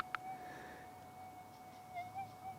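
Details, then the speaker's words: AlgoForce E1500 Plus gold detector near power lines with high EMI: sensitivity raised above 18 makes a steady hum turn chirpy as threshold peaks exceed the line; unstable threshold from sensitivity set too high, stable again back at 18. "we can hear it's starting to get chirpy, and we can see that the peaks of that heartbeat line is coming up over the threshold line. So, that's not giving us a nice stable threshold."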